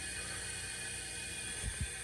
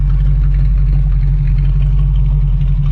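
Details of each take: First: Bandit Trans Am V8 leak-down test, engine off, compressed air into a cylinder: steady hiss escaping from the crankcase vent, not the exhaust, as air gets past worn piston rings; severe leak-down on that cylinder. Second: Pontiac Trans Am Bandit with a newly installed, roughly 170 hp cast-iron V8, idling with a quiet, even burble and no knocks or misses; normal idle.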